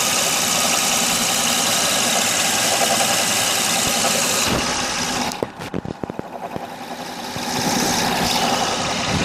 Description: I need help figuring out what's this knocking noise on my odyssey! I changed the water pump,timing belt,power steering pump.